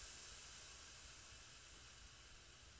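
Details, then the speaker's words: Mantus scuba diving compressor, fill hose being bled through its bleed screw before removing the fill valve: soft, steady air hiss that stops once the hose is depressurized. Normal air bleed. "all right so now that you can no longer here here the hissing of the air we know there's no more pressure inside this hose"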